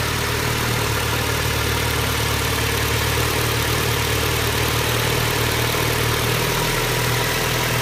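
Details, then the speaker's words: 2012 Ford Escape 2.5L engine, warming to full hot: light quick knocking/tapping riding over steady hum, sounds like cylinder head but worsens as it heats; suspected cause is a crack in the cylinder block between cylinders (usually two and three), coolant found low. "you tend to hear it a lot more once the engine starting to heat up or it's full hot we'll come back to it once it get to be the full hot starting to heat up it's getting a little worse"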